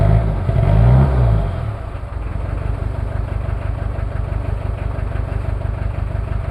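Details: Toyota 2L-T diesel on cold start after piston ring replacement without top overhaul, possible head issues: brief rev falls back to lumpy idle with uneven shaky beat; one bad injector not firing cleanly.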